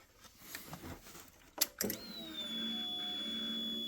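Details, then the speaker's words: 2007 Triumph Daytona 675, cranks but no start with spark on all three plugs: key-on fuel pump priming, clicks then steady high whine with no tone change, suggesting no pressure build; owner suspects debris blocking pressure regulator/pump, three bad injectors considered unlikely. "You can hear it building pressure now. Doesn't seem like anything is coming out."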